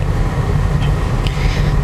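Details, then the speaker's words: Used car driven at about 10–20 km/h over a rough road after worn rubber suspension supports were replaced. Steady low road rumble with no knocks or clunks; suspension tight and quiet. "Nah, tidak ada suara, tidak ada suara glodak lotek, tidak ada suara-suara anehlah di sektor kaki-kaki."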